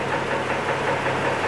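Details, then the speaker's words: 2006 Chevy TrailBlazer 4.2L at idle, about 650–700 rpm: rough idle with irregular light knocking under a steady drone, gone once throttle is given. Possibly internal; an oil additive is being tried to reduce it. Engine knock at idle, source not confirmed. "there it is it's like a knocking sound you guys hear that that's the noise that we're kind of fixed now I know that this has eternal possible internal engine but we're gonna try it today"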